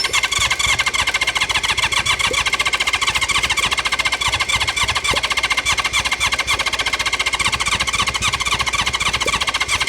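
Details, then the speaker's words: Sitting-for-years 1976 Honda CB550 (1970s four-cylinder motorcycle), plugs refitted and fuel squirted in: steady rapid starter churning, about four pulses a second, spins over but never fires; owner suspects fouled plugs; cranks but won't start. "At least we know we got a good starter. It wants to fire."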